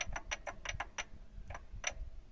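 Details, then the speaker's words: YuMZ-6 tractor engine, oil pan removed, connecting rods fine: sharp metallic clacks in irregular bursts as the timing idler gear is rocked by hand, play in the idler gear found as the knock source. "А вот, собственно, и звук. Я всё думал, откуда стук."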